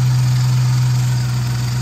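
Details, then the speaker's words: 2011 Dodge Charger after AC compressor replacement, intake tube removed: smooth steady low hum, no grinding or rattle; compressor noise gone, only some air intake sound, normal idle. "much, much better. The compressor isn't making noise now. I hear some air intake because, like, I don't have my intake manifold."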